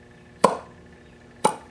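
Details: Rebuilt T-Maxx .15 nitro engine with a new block and cleaned crank, reassembled in the truck and turned over. Two crisp, firm pops about a second apart: normal compression on turnover.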